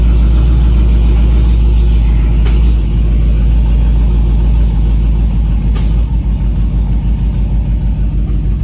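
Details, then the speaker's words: 2015 Camaro SS at idle: a heavy, low rumble with an uneven, lumpy, stumbling beat. One cylinder is misfiring; the cylinder and cause were not yet pinpointed and a scanner check was planned. "yeah it's pretty bad guys so i'll put my scanner on it and see if i can pinpoint what cylinder it is again"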